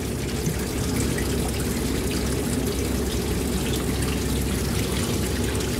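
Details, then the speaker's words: Heat pump (PAC) during replacement of two Sporlan OZE expansion valves and a 160 kg scroll compressor: steady hiss and gurgle of water running freely without pause, the unit's water supply pipe having burst from frost. "PIR remettre tout ça sous azote sachant que là on longend il y a de l'eau qui coule j'ai l'arrivée d'eau de la pâ qui vient de péter avec le gel"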